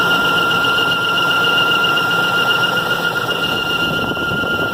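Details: 2003 Range Rover 4.4L V8 (BMW M62) engine bay: a loud, steady high-pitched squeal that starts after about 10 minutes of driving and persists until shutdown and cool-down; temperature gauge normal, cause unknown.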